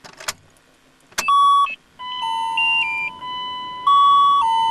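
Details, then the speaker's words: Second-generation Dodge Cummins truck at ignition-on: usual chimes plus an added small chime cycling a steady high beep with a flashing light, the alarm for fuel pressure below 7 psi. "okay the one that you can hear primarily here is the one for the fuel psi and you can see the the light there flashing away get your attention pretty well"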